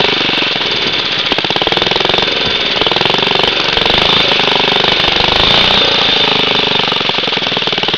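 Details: Very old Briggs & Stratton 2 hp four-cycle gasoline lawn mower with a new spark plug, just pulled from the shed after a long while: fast, crisp, even popping at steady speed with no misses or knocks. Healthy.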